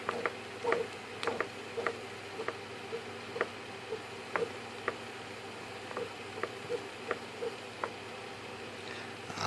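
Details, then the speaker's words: FMS Corsair v3 1430mm RC plane, new gold PAEP 540 motor, about 10 flights, no crashes: sharp single click once per rotation at the same spot as motor turns, no play in can or mount; catch inside motor. "anyway else doesn't make the noise except right there you know there isn't a lot of play back and forth actually there is no play back and forth so it's not like the can is loose and you can hear it when it hits that spot as it goes around"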